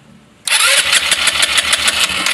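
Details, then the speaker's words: Rusi Flair carbureted scooter, fuel gauge showing three bars: steady fast starter churn with no firing, carburetor dry; no gas reaching the intake manifold, ignition checked fine; cranks but won't start from fuel starvation. "Walang pumapasok na gas kaya hindi siya nag-start."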